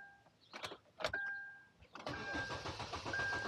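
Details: Kia Rondo with no-start complaint, diagnosing power and ground with wiring diagram; a couple of clicks and beeps, then the starter churns steadily over a second without catching: crank, no start.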